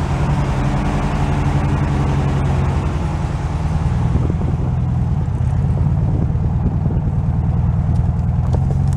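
Steady low, even idle with smooth rumble and no knocks, misses or ticks; the air-cooled engine is running healthy after a cold start.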